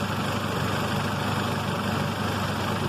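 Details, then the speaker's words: 1994 Honda Civic LX under 93,000 miles, jump-started, idling with the AC on, heard at the engine bay: a steady, even, quiet hum with no knocks. A bad muffler makes the exhaust note loud. "pretty quiet the only thing you're going to hear again is that exhaust note which is way off because there's definitely a bad muffler on this bed bad boy"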